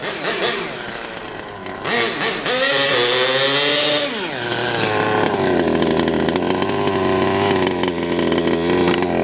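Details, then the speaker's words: HPI Savage Octane nitro RC car running on a car park: high buzzing two-stroke revs cleanly and holds a smooth, even note, not reaching full carburetor throttle as linkages not yet set; running healthy. "Going well, man. It's going well. Run. Just listen to that run. What a dream. What an absolute dream."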